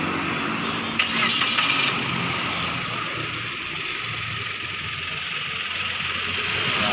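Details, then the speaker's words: 2016 Suzuki Karimun Wagon R GS used car: quick crank catches within a second and settles into a steady, even, very smooth idle with no knocks or misses; healthy engine. "suaranya itik. Halus sekali."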